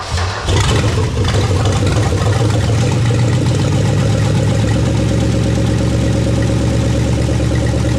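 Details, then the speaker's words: Plymouth Duster, first start after parts replaced, on a little gas poured in the carb bowl. It catches after a brief crank and settles to a loud, raw, steady rumble on bare manifolds with no exhaust; no knock or rattle. "as you can hear it's definitely loud um it just has manifolds with no exhaust so that explains that"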